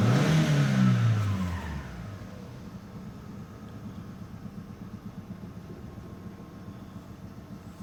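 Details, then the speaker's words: 2004 Opel Vectra C with the Z18XE petrol engine and codes P0303-04: after a rev the idle stumbles unevenly with a dropped pulse, puffing heard at the exhaust; a cylinder 3 misfire from 3 bar compression versus 12. "так машинку теліпає троїть треба розбиратись і от в глушник чу Чутно як пухкає пух-пух пух пух-пух"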